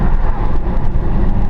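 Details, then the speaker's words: 2016 Dodge Challenger on Atturo AZ850 275/40/20 tires, window open: low, even road hum with no howl; normal quiet tire noise. "i'm opening the window up here so you can hear humming noise from the roadway to the tire"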